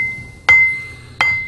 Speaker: You can clearly hear the ring when we tap this wheel, so it doesn't look like it has a crack.